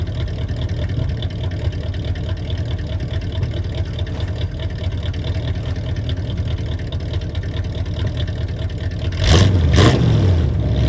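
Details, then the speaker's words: V8 restarted after repairs, idling with a steady, even rumble and no ticking or knocking: the lifters that were noisy at first crank have pumped up and gone quiet, showing oil pressure, though the oil light is still on. "i know i've got oil pressure because the lifters are not making the noise like they were when i crank it the first time so the lifters have pumped up they're nice and quiet now"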